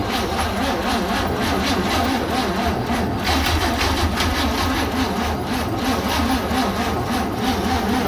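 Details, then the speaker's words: 1966 Chevy G10 van, battery briefly charged, 50:1 mix poured in; steady laboured cranking about three beats a second never firing, slow cranking; owner suspects insufficient battery and maybe a bad starter. "Got enough battery here. Probably don't have enough battery. And maybe a bad starter."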